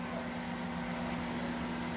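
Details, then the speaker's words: Microwave running with a smooth low hum and fan whoosh, no strange noise, after replacing the capacitor that caused the odd noise though it measured correctly; now heating normally. "agora sim barulho Tá suave e não tem nada estranho tá funcionando de boa"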